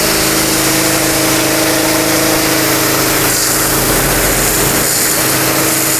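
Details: Mitsumax 10 hp vertical diesel on a 3-inch high-pressure water pump (3,000 rpm rated), full throttle: steady, even drone of constant pitch, no knocks or misses while pushing water at high pressure; normal running under load.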